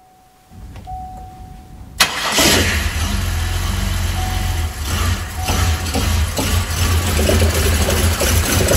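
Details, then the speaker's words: 2005 Buick Lacrosse 3800 V6 Series III, no start after an overnight soak near 0–10°F: cranks, catches roughly and runs uneven and loping, struggling to stay lit; MAP sensor suspected via OBD2, confirmed likely bad by disconnecting it. "his 2005 Buick Lacrosse uh wouldn't start that was about the best he could get out of it and it had been running great"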